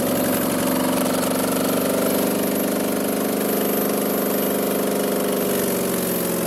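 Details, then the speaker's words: 5.3 LM7 V8 from a 2001 Tahoe swapped into a 1995 Impala SS, rebuilt with ported heads, standalone truck PCM, no exhaust fitted so loud; steady, even idle with constant low hum, no knocks or misses: normal idle. "so like I said there's no exhaust on it right now that's why it was that loud"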